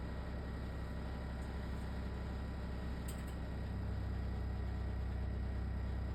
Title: LG ThinQ wses4728f - horrible rattling noise